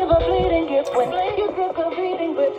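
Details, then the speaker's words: 1984 SMURF twin-speaker transistor radio after battery-clip de-rusting and nickel plating, twin speakers connected, AM station: clear steady music with no crackle, dropouts or hum; plays cleanly. "I set this in AM station let's adjust the volume so we hear how it's performing for a.m"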